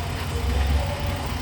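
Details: 2011 Dodge Nitro with multiple-cylinder misfire after oxygen sensor replacement: low idle hum with slightly uneven, stumbling beat; misfire at idle, cause not pinned down.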